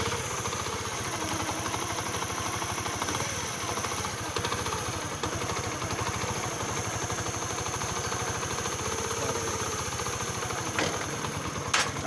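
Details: Honda CD70 single-cylinder bike after timing and cam chain tensioner work for an engine noise problem: steady, even putter at idle with no knocking or rattling on top; idling cleanly.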